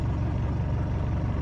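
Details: Ford Transit camper van diesel, cold start after sitting a week or two, on a newly fitted donated Bosch battery: a deep, steady rumble with no knocks or rattles, a normal healthy idle.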